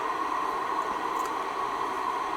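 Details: Icom IC-R8500 receiver in a freezing workshop, working again after the reference was unplugged: steady, even hiss from the speaker with squelch open, no crackle or dropouts.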